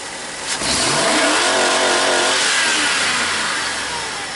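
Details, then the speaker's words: 1998 GMC van with high idle and erratic TPS, new reman PCM, during the crank variation relearn: engine climbs smoothly to about 5,000 rpm and holds with no fuel cut-off or limiter stutter, scanner still waiting for full throttle; TPS suspected. "It went up to like freaking 5,000. And it still says waiting for full throttle."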